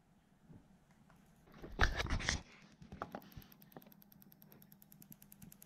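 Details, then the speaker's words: Engine on a Link ECU, spark test run from PC Link firing cylinder 5 on its own. Faint, even ticking about three per second in a quiet bay as the coil sparks properly: normal ignition firing. "you can just hear that ticking along."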